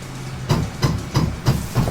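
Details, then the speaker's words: Anycubic Photon M3 Max resin printer after fitting a Wham Bam plate without the needed spacer: harsh regular clunks about three per second over a low buzz as it homes, the Z-axis stepper skipping. Fixed with a custom spacer. "Yep, that doesn't sound good at all."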